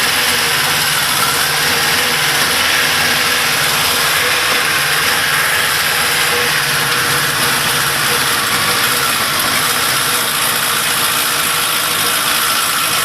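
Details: Big One engine at 95,000 km, idling without choke; busy metallic clatter at roughly four ticks a second over steady idle; suspicious top-end noise of unknown cause.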